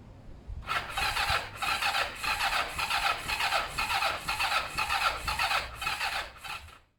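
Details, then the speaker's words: Kawasaki ER5 twin during service and repair, cranking but not starting: steady starter whirr with about two pulses per second for six seconds, never catches. Owner thinks the carbs have fuel and will check the plugs are clean and sparking. Cause unconfirmed. "I think there is fuel in there in the carbs I don't think there's an issue there next thing here to do is check the spark plugs"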